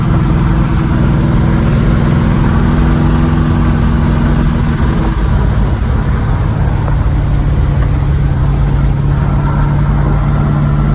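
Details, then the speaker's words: 1986 Monte Carlo SS V8 rumbling steadily at low revs while driving, with a bottom-end rod knock buried in the exhaust; driven about three days with the knock. "I hear the bottom end knocking in it."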